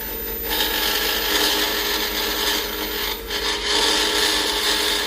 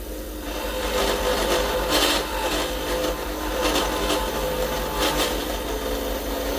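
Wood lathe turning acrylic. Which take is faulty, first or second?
first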